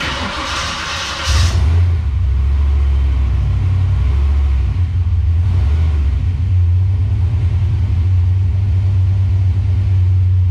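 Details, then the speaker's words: Calypso green 1993 Mustang Cobra tribute build after header leak fixed: deep steady V8 rumble settling after a brief blip, no ticking or puffing from exhaust; quiet, healthy idle. "i want you guys to hear just how quiet this thing is now that we've got the header leak fixed"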